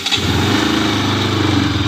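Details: Bajaj Pulsar RS200, one year old with 24,366 km: catches quickly and settles into a smooth, even, steady idle with no knocks or misses; healthy start.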